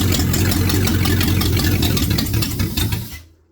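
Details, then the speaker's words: 1948 Ford Flathead on an engine stand after fitting a used condenser from another distributor: runs with an even, steady beat for about three seconds, then fades and stops as it runs out of fuel. "I put that used condenser off one of my other distributors, and it just all of a sudden started working."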